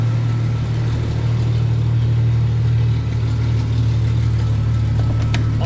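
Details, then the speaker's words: 1995 right-hand-drive Jeep Cherokee XJ with a replacement used engine, started for a walk-around: a deep, steady idle rumble with faint uneven puffing; it runs, but an exhaust leak is still present. "got some exhaust Le still there it does run"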